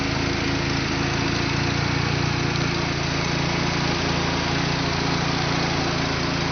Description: Start up after a fresh rebuild, with following upgrades. Apexi Intake, Bonez Cat, HKS Downpipe & Dragger Exhaust.